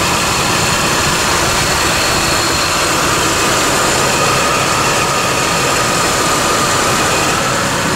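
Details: 2001 GMC Sonoma 2.2L, freshly replaced engine idling on the lift after first start: steady even idle, smooth hum, no knocks or misses; good oil pressure, no check engine lights, healthy.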